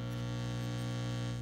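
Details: 1950s Telefunken Concertino 7 FM/AM/shortwave/longwave radio on AM around 340 kHz, never electronically restored: a loud, steady low mains hum with a buzzy edge; unclear whether it is picked up or coming from the filter capacitors, faint hum remains at zero volume.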